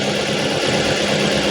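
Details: Ford Fiesta that would not run when it came from another shop, now started; steady, even idle with a constant low hum and no misses, knocks or hunting. Its harness signal failed because it could not detect drive, neutral or park.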